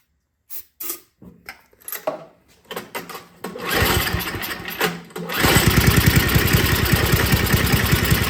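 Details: Older MTD Yard Machines snow blower with Tecumseh 5 hp engine that would not start, after carburetor was put back together and gasket found falling apart; a few cranking pulls, then a steady even run at about three and a half beats a second, normal running.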